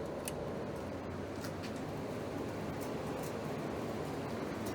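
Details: Window air conditioner planned for restoration, fan running on low then medium speed before the compressor is started: steady, even whoosh of moving air with no rattles, ticks or hum swings; normal fan operation.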